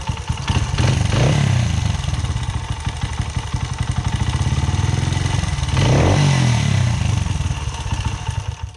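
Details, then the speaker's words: 2009 Honda CRF80F with Pro Circuit exhaust, revived after sitting, idling just after valve adjustment: quick even single-cylinder putter with two throttle blips and light steady valve tick, judged normal. "That little bit of noise must be normal. Yeah, that sounds normal."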